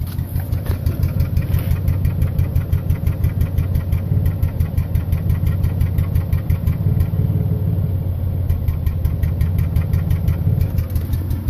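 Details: Toyota Tacoma idle after engine bay wash, worsening on the drive: uneven chuffing and shaking, about three beats a second, with dropped beats; rough idle with misfire, cause unknown.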